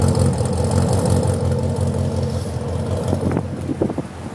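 Idle chugs low and rough with irregular stumbles, then settles quieter with a few clatters; the engine is misfiring at idle.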